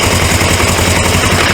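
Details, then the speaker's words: 1980s Suzuki GS450A automatic motorcycle, first start after carb cleaning, with an oil leak at the oil filter housing. Loud rough running with a fast uneven chatter and gritty grinding, as if the gear wants to jump; internal transmission fault suspected, not confirmed. "grinding sound you hear it like it wants to Jumping gear automatically something inside of there bad"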